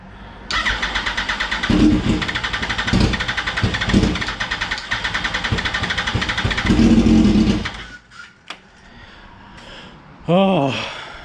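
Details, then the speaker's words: 2004 Yamaha R1 unstarted for over 10 years, with a new fuel pump and lines checked clean; owner considers rechecking the injectors. About seven seconds of steady, rapid starter chugging that never fires; long crank, no start. "New fuel pump, checked all the lines, made sure that all of it's clean. Check the spark plugs. Like, come on, this thing's just got to start at this point."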